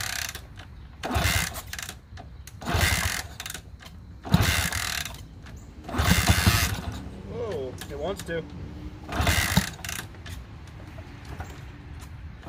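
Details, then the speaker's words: Honda CT200 (1964–67, iron-head pushrod single), non-runner of unknown storage time, plug cleaned, fresh gas: five or six short cranking bursts every couple of seconds, coughing but not catching; hard starting. Later it wouldn't stay running and the plug was very wet, so carb teardown planned. "i did notice that it didn't want to stay running for long in fact the the spark plug was very wet after i wrote it down the street and it wouldn't start very easily after that"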